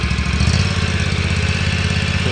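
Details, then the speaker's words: Exmark Ultracut 48 Turf Tracer S-series commercial walk-behind mower, stored over a year with possibly old fuel; starts right up into a steady, even low chug with no misses, knocks or surging. "this thing starts right up i'm gonna go ahead and start it so you can hear it"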